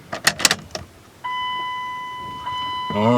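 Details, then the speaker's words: Key-on fuel pump priming on a long-sitting 2001 Dodge Ram 1500 5.2 after gas tank patch, new plugs and fogging oil: steady electric hum for a second or two after key-on, then another short run; pump priming normally. "get that fuel pump primed up I can hear the fuel pump kicking in that's a good sign"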